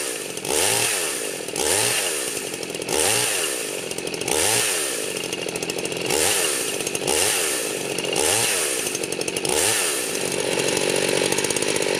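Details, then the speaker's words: Freshly rebuilt Husqvarna 51 chainsaw, first runs after choking off bottom-end oil, cold weather: repeated crisp blips from idle to a high scream and back, clean pickup every time, no bogging; runs strong. "well that sounds awesome it's running awesome sounds great"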